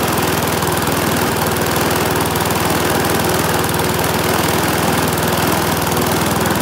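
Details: Briggs and Stratton single-cylinder mower engine, serviced after oil starvation or neglect, holds a steady, even buzz at constant speed with no misses or knocks; runs healthy.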